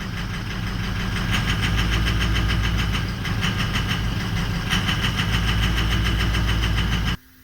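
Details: 2004 Ford 6.0L Powerstroke diesel idling roughly: lumpy, uneven knock about three beats a second, like injectors dropping out; FICM output fell to about 40–42 V (should exceed 45) despite proper input voltage and 1280 oil pressure, so a new FICM is needed.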